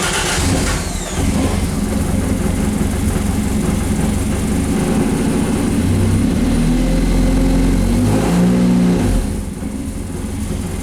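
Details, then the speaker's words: Triumph TR6 start: cranks briefly, catches readily and settles into a steady, even idle around 950 rpm with a slightly rich note; healthy start. "So, there you go. That is the TR6 and you can see it starts up pretty good. Holds just around 950."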